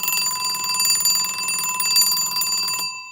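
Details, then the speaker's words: Seth Thomas "Baby Ben" Catalin plastic-cased alarm clock with Westclox Style 5 Baby Ben movement, alarm freshly wound: fast, even bell ringing for about three seconds, stopping cleanly; alarm works, though a separate spring problem lets it wind endlessly. "So, anyway, here's the alarm."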